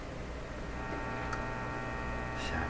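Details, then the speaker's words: Canadian Crosley 12B tube radio tuned near 10 MHz with a low-level signal during initial checkout: steady mains hum with almost no hiss; cause not yet traced. "I hear the hum, but I don't hear any hiss."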